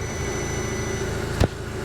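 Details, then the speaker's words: 2012 MK6 VW Golf R after engine install, once a missing "engine components" fuse was replaced: a smooth, even idle with a steady low hum and no ticking or misfire. The engine now runs smooth. "She's purring. Guys, the car is running. She's running smooth."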